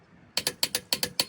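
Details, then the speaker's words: Click-type torque wrench set to about 100 ft-lb on a half-inch socket tightening a lug nut: crisp metallic clicks in quick pairs showing the nut has reached set torque. "When you hear that clicking,"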